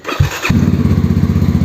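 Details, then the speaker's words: Mahindra Mojo motorcycle, cold start after about a month unused, after fitting a new 6 unit: short crank, fires first try and runs with an even, quick thumping beat; clean, healthy cold start. "അപ്പോൾ എന്തായാലും വണ്ടി start ആയിട്ടുണ്ട്. കുറേ നാൾക്ക് ശേഷം first അടി തന്നെ start ആയ കേട്ടോ."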